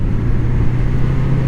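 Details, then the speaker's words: 1981 Honda CB750C with freshly synchronized Keihin carbs and a new clutch, pulling strong out of a curve in second gear: even low growl under load, no misses or stumbles, cylinders sound balanced; healthy acceleration. "the collection's really good I'm not good at rev matching as you can probably tell so come on off the Curve nice and strong at second"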